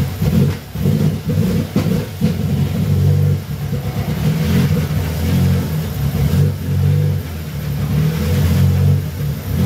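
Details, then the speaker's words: BMW 116i E87 N45B16 race car build, first start after almost six months, some smoke possibly oil burning off manifold: uneven blipping with tinny buzzing rattle; exhaust rattle, clearances not right. "so um the exhaust is rattling which was my concern um i can hear it rattling a lot inside so i'm gonna have to figure that out"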